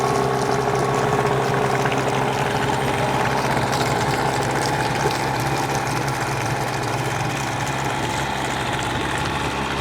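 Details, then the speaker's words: Hangkai 18 hp two-stroke outboard, new and unrun after a year parked, at fast idle during 10-minute break-in, run in a trash can with no load, extra oil in gas for heavy smoke; even buzz with watery burble underneath, steady without stumbling, running cleanly. "Okay, so it's at a fast idle for 10 minutes. We're going to get a lot more smoke now with this much oil in the gas, but that's to be expected."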